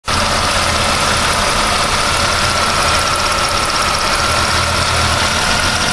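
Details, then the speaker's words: 1999 Pontiac Firebird engine at idle: steady high-pitched whine over busy mechanical clatter, something loose; abnormal idle noise, source not yet pinned down. "Okay, something's a little loose."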